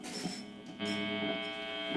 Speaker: let me show you an example of some game based hum alright so we have our normal hum what happens if i turn on a pedal that has gain on it